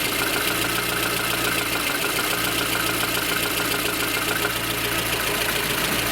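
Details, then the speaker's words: Lada Kalina petrol engine idling in neutral; fast light rattling tick over the steady run from excessive camshaft axial end play, quiet when the camshaft is pressed over; play measured with a dial indicator. "Большое осевое смещение распредвала. Тарахтит."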